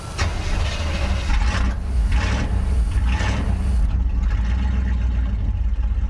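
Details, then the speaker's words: 1977 Chevy C20 Bonanza 3/4-ton carbureted truck, fired up after pumping the gas: a deep, blatting roar with surging revs, obnoxiously loud, with an exhaust section described as completely cut off. The exact cause is not confirmed. "I like loud, but this is just this is loud to where it's like obnoxious and not cool sounding at all."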